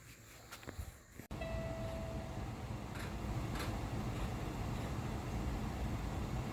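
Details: Cummins ISX diesel in truck just after replacing crankshaft position sensor: after a quiet moment the engine catches and settles into a steady, even rumble without misses or stumbling; clean start after the repair.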